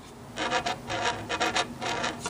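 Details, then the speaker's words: Philco model 37-2670 radio, installing the new dial: dry rasping scrape in bursts as the dial is turned back and forth; the warped dial scale rubs against the metal bracket. "here anyway when the dial scale when the dial turns it's hitting this piece of metal right here"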